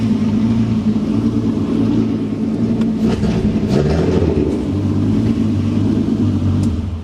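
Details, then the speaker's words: VW MK4 R32 during DSG conversion, engine idling after vacuum and brake booster lines reconnected: steady idle with a faint droning whine from the power steering pump, which has only a little fluid in it; low fluid causes the whine. "there is that noise from the steering pump because there's only a little bit of fluid in there"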